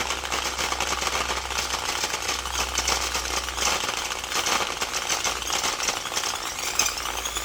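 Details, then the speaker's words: Old rusted Milwaukee Magnum drill, gearbox opened and heavily greased: motor whir with harsh gritty rattle throughout; gears sound like they're grinding against each other, likely junk; cause suspected, not confirmed. "it sounds like there's gears grinding against each other and it's not a healthy thing"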